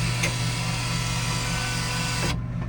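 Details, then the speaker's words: Vintage analog photobooth, just off a truck, during a test-button development sequence: bill acceptor motor whirs steadily over a low hum, cutting off sharply after about two seconds; normal bill acceptor operation. "That's the bill acceptor you hear there."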